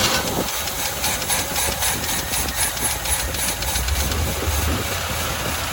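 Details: 1985 Chevy C10 half-ton pickup, 305 V8 with stock Quadrajet carburetor, running off the bowl with choke removed on the fifth start attempt: coughs and stumbles with an uneven, loping beat and heavy exhaust hiss, barely holding idle; owner suspects fuel or a distributor install error.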